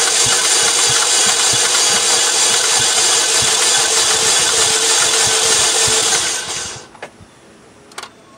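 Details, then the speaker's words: 2007 Saturn Vue compression test: fast, even cranking at about three turns a second with no labouring beats, and the gauge does not move, showing zero compression in all four cylinders. "that's not good at all no compression at all no compression at all that's not good"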